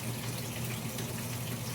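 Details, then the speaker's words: Speed Queen AWN432SP washer on the delicate cycle with cold water, filling one last time for the extra rinse: a steady rush of water into the tub over a low hum, a normal, untroubled fill. "so we'll let it go through its final rinse so it's now starting to fill up one last time for the extra rinse and"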